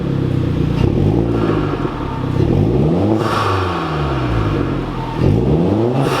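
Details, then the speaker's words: Hyundai Genesis with new ARK Performance front pipe, revving and accelerating: deep throaty exhaust rising and falling through repeated pulls, smooth with no rattle, popping or misfire; same sound but a little deeper and slightly louder overall, healthy. "it's the same sound just a little bit deeper it's weird it got a little deeper but then the total volume went up a little bit"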